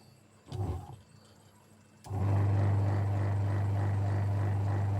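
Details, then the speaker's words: LG 13 kg twin-tub washing machine reported spinning weakly: steady low motor hum with no tub swish; wash motor runs but wash tub does not turn, spin-dry side seems to work normally. "เสียงมอเตอร์ทำงานนะแต่ว่าไอ้ตัวเนี้ยมันไม่หมุน"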